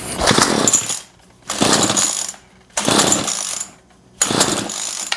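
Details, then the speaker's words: Remington pole saw that sat for a year, head removed, won't start on its usual sequence; primer bulb odd and fuel lines rigid: fresh premix gives four short rough bursts that die straight away, so the carb needs a rebuild, likely a stiff fuel pump diaphragm. "runs starts up tells me it just needs a carb rebuild"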